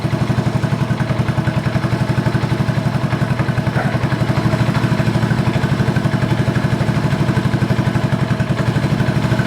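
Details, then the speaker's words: 1986 Honda TRX125 FourTrax ATV, owner-reported no spark: single-cylinder thumps quickly and evenly, about four beats a second, holding a high idle that won't drop back, after mixture screw set about a half turn; throttle cable has no free play, holding throttle open. "Let's see how much play is in my throttle up here because Oh, yeah. There's nothing. The throttle's tight."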